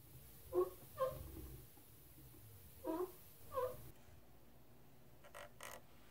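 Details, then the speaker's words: Thrustmaster T300RS servo base about two years old, noise present for six months: short high squeaks in pairs as the wheel turns, dry shaft end rubbing its plastic housing. "I bought my Thrustmaster T is about two years ago and the last six month I have beginning to hear this noise not so much when driving with my headset on but it was a distraction anyway"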